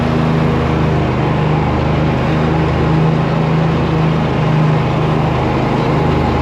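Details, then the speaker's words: Newly bought riding mower cutting grass under load: steady loud engine drone with odd low droning hum from the deck; owner suspects the closed guard or something under the deck, not yet checked. "That noise was, but we got to look at that. It might be because of that guard is shut. There might be something under there."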